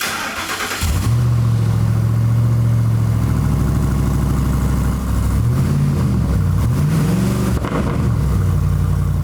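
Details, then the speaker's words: 2004-2008 Ford F-150 5.4L with open cats and no muffler during exhaust replacement: engine catches into a very loud deep rumble, rising and falling on blips; no muffler fitted. "So let's see how loud this is. I'm gonna guess pretty stinking loud."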